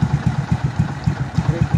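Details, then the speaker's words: Kawasaki Bajaj CT125 single with a newly fitted original cylinder block, head and valve seal: even idle thump at about eight beats a second with no knock or rattle; normal idle. "maganda na uli yung andar niya Syempre bago eh na uling ingay ah ligtas yung connecting rod"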